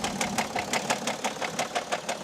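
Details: BMW diesel engine at idle: sharp, even knocks about five or six times a second from inside the engine over a quiet idle; whether it can be fixed is in question.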